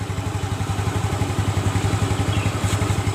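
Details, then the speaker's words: Yamaha Mio Smile after retightening a loose front pulley and axle nut; the worn shaft had been shimmed with a washer. An even single-cylinder beat under throttle with no rattle or slipping surge. Normal CVT operation, grinding gone. "Udah halus ya suaranya, nggak seperti tadi. Nah itu teman-teman ya, masalahnya berarti di sini ya, mur as depan atau puli depan longgar ya, atau lepas."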